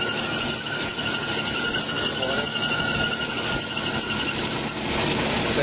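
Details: 1992 Jeep Cherokee Limited 4.0 idling warm: steady high drive belt squeal that fades when revved and goes away as water is sprayed on the slipping belt; new Gatorback belt planned.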